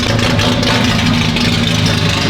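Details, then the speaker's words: Datsun 280Z with a fully built L28 engine, after sitting five years, on fresh gas, idling on its own. Choppy, loping, uneven idle pulse described as a menacing chop; lumpy idle. "it's idling on its own listen to that chop oh my god look how menacing this thing is"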